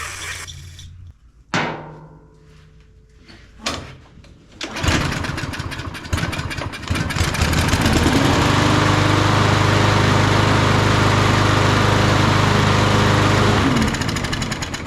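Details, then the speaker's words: Craftsman M230 push mower, hard to start and smoking, catches on carb cleaner sprayed into the carburetor and runs about five seconds before fading; suspected flooding or poor-quality fuel, and it won't start without the spray. "Once it fires up, normally if that happens, that's telling you that what we thought is 100% true. That we've got an issue here with it being flooded out. or that the fuel is not quite a good enough quality to keep it running."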